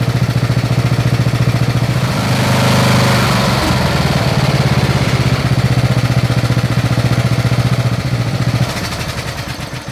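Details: Snapper SR-Series mower with 10HP Briggs & Stratton single-cylinder engine, stored 10 years, on a tuned Amazon aftermarket carburetor with fresh treated fuel: steady fast putter, firing evenly without stumbles or surging; running good, air cleaner makes a difference.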